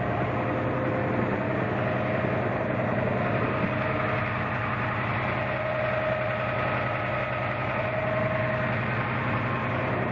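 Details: Toyota 4Runner at idle: a dull, regular tapping about three or four times a second; the dealership suspects rod knock, not yet confirmed by another mechanic.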